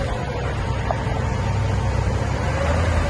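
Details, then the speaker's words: 1958 Cadillac Eldorado, 365 V8 with three two-barrel carburetors (possibly flooding a little on start), idling on a new near-original spaghetti-bent exhaust with rear resonator mufflers; quiet, even low rumble, no puffing or ticking, factory quiet; normal idle. "you can barely hear it run. Like I said, factory quiet. Don't want any noise on this Cadillac. Running like a watch."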